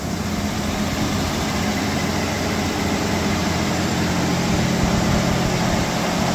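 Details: 1989 V6 Mitsubishi Pajero, first cold start after three days sitting, with new stainless extractors and exhaust studs replacing leaking manifold: even steady idle rumble, no ticking or puffing; manifold leak fixed, exhaust sealed.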